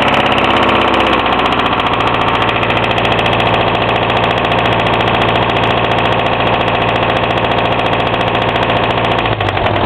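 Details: Hillman Imp engine just reassembled over a weekend, among its first starts: heavy repeated knocking at idle over the running note, though owner found bearings unworn, tappets within tolerance and plenty of oil.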